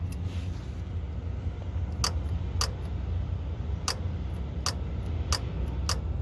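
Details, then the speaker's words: 2005 Chevy Silverado 5.3L at low idle on a 50-degree day, after A/C compressor replacement, relay terminals 30 and 87 jumped at the fuse box; sharp metallic clicks every half second to second as the compressor clutch engages. "hear it see it so now that clutch is really activating so uh that's 30 and 87 on the box just jump across there"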